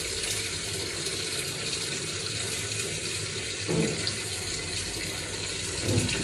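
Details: Samsung WA85G top-load washer after replacing the faulty pressure switch that let it overfill without cutting water: steady rush of water filling at the lowest level, no stuttering; it then shut off and spun, a normal fill.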